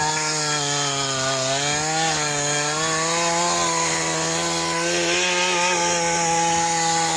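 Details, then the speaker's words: Mantis tiller two-stroke after carburetor cleaning and replacement of a shattered piston, screws adjusted, tilling: strong steady buzz holds pitch while digging, no misfire or knock; healthy under load. "This is an impressive little tiller. I think our fix with the piston works just fine."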